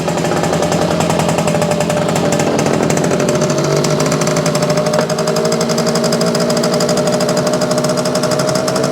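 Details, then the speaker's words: Circa 1965–67 Yamaha YJ2 (Campus/Riverside 60) 60cc two-stroke, running with fuel just turned off before it dies: crisp rapid two-stroke rattle, steady with slight pitch rise, clean and healthy; normal running. "okay I turned the fuel off so that ought to be uh killing it here pretty quick that's a pretty sweet little bike"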